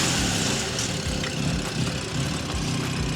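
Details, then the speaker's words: BMW M4 (S55 engine), just serviced with new spark plugs, rocker cover and sump gaskets: struggles to start and runs roughly right after a cold start with uneven low thumps; a misfire is suspected, not yet diagnosed. "So as you can hear, it's struggling to start up. Sounds like it's got a little bit of a misfire, so we'll plug it in and we'll see what's happening."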